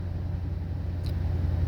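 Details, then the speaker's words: 2007 Nissan Titan SE with a hard-start complaint, immobilizer light off using the original key; engine cranks up with no problem and settles into a steady, even idle, a normal start. "Those are the seat belt lights that are on right there, and it cranked up with no problem."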